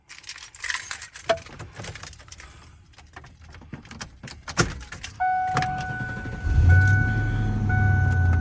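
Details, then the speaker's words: 1996 Ford F150 with new battery and alternator, cold start after sitting: keys rattle, short crank, engine catches at once and settles into steady low idle under a chime; starts right up, healthy cold start. "it starts right up the uh much heater works the power windows on the passenger side work but not on the driver's side"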